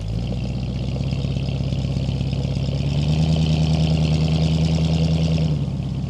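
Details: Restored 1947 Ford F100 pickup with a flathead V8, true dual exhaust and Cherry Bomb mufflers: deep, even burble with a steady low beat, rising slightly mid-clip and settling. Smooth, healthy running.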